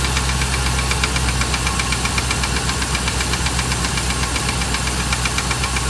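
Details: 2008 Dodge Ram 1500 5.7 Hemi at idle: fast, fairly even tapping knock about four per second from inside the engine. Five mechanics couldn't identify it and suggested a new engine; cause unknown.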